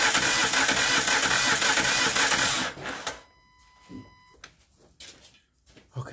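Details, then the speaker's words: 2012 Honda Crosstour (Accord-based) V6 cranking after the timing belt broke while accelerating: fast, even spin with no compression pulses, maybe one or two cylinders catching. It had backfired, and valves are bent. Broken timing belt. "that's exactly what it sounds like sound like it tried to hit one or two cylinders probably got some compression all the other ones don't Time belt broke while she was in motion and driving"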